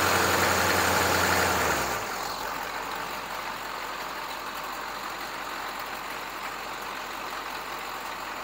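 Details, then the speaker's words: GM 6.2/6.5 diesel with DB2 injection pump after timing check: revs drop back to steady idle around 650-700 rpm, no knocks, misses or hunting; timing -9.5 degrees at idle, correct for stock tab. "idol's right around 650 700 right where it should be"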